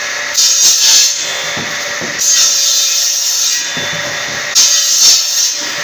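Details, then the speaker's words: Circular saw with a soft-start economy mode, switched to full power when the blade appears: bursts of high-pitched cutting noise as the blade bites into wood at full speed without bogging; it no longer stalls and cuts normally. "Rá tudom itt is kapcsolni teljes teljesítményre. Így már nem fog lefulladni."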